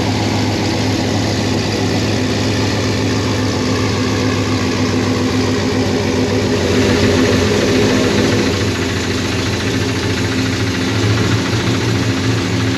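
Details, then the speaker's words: GM 5.3 L V8 (Silverado/Sierra/Yukon) with an aggressive cam, reportedly stage 4, and tune, metal found in the oil: a lumpy cam-lope idle with an irregular knock underneath. The cam noise masks the source, so a top-end teardown is planned. "You guys heard the noise, and that's actually making this a little harder for us to figure out where that sound is coming from."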